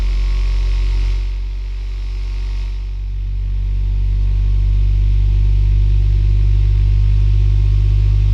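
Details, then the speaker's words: Sovol SV07 (Plus) 3D printer running a Klipper input shaper "Measure X" sweep: as the frequency rises toward 100 Hz, a loud steady low drone with humming tones swells and the vibration becomes very pronounced; normal. "Now, that sound is very pronounced, we can hear some vibration now, definitely."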